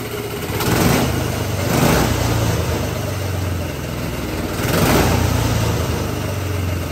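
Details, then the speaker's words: GX200 Honda-clone single-cylinder go-kart engine on hydrogen with pure water injection: revs rising and falling with a fairly even beat and a few sharp backfire pops; much smoother than pure hydrogen, especially at operating temperature. "Okay, so that's the hydrogen engine running now with the pure water being injected in. Uh, as you can tell, the engine seem to run a lot smoother there, especially when I got it up to operating temperature. And obviously, we got some nice backfires as well."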